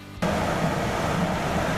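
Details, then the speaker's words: Coleman furnace DGAA077BDTB after replacing the combustion air inducer fan, gas back on; after a quiet purge moment a soft whoosh lights off and settles into a steady rushing roar with no rattles; normal burner ignition and run. "Well, it's running, and we'll finally have heat. Yay!"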